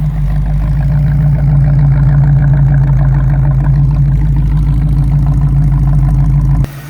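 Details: 1934 Chevrolet modified all-steel two-door with 700R4 automatic and A/C, warm after almost 30 minutes of running at about 195–198°; deep, steady low idle rumble with a firm, even beat and no ticks or knocks; healthy.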